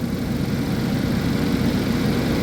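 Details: 2011 GMC Terrain with a recurring P0341 cam code despite new phaser solenoids and cam sensors, at cold idle while the cam and crank waveforms are scoped: an even, quiet low rumble with no misses or irregular beats. The check engine light is on.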